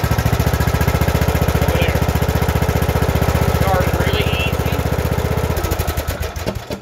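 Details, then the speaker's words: Briggs & Stratton single-cylinder engine after valve lash adjustment, cold, no choke, at idle: even, steady thump with no pops, clicks or backfire; started easily, running cleanly. "no bang bang click click pow pow all that kind of crap that's no choke on the engine whatsoever sitting at idle the engine is not warm"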